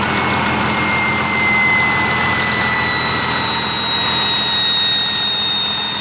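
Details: 1959 Caterpillar D337F diesel generator set, ex-hospital, barn-stored 10–12 years, about 959–960 hours, idling unloaded and barely at operating temperature: steady, even run with a constant high whistle, no knocks or misses; normal idle.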